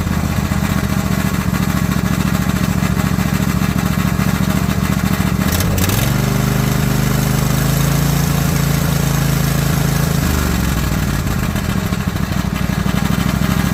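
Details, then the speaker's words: Mower engine after refitting the valve spring, retainer and keepers and adjusting loose valves; smooth even running with a clean rev change midway, no tapping or missing; seems smoother than it has ever run. "I don't know how it's translating on the camera, but that seems like it's even smoother than it's ever run."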